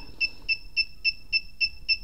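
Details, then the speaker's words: KWS-AC301-100A power meter sounding steady short high overvoltage alarm beeps, about three and a half per second; actual voltage about 231 V exceeds the set alarm threshold, so it keeps beeping until the threshold is raised. "Hiện tại thực tế nó 231 phẩy mấy vô lấy nhưng mà mình cài đặt là 250v thì cứ kêu tít tít đấy các bạn thiếu tôi biết chưa kít này thì âm thanh nó cũng hơi nhỏ để nó to hơn chút"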